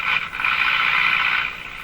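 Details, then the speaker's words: Mohawk Model 1240 five-tube radio, possibly previously worked on, capacitors thought to be original: dead in part of the band, thin scratchy garbled hash higher up with no clear station; owner suspects an alignment problem, not confirmed. "that sounds like an alignment thing"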